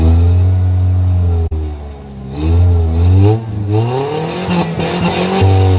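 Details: Stock 2.3 L four-cylinder Foxbody Mustang, sub-100 hp, filmed before restoration: deep steady idle rises smoothly on each throttle blip and drops back cleanly; even, healthy normal revving.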